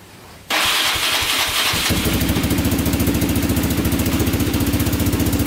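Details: 2002 Yamaha Raptor 660 quad, after oil line fix, starting with 2 quarts of fresh oil to circulate it: fires after a few cranks, settles into steady, even single-cylinder thump at idle; sounds healthy, normal running.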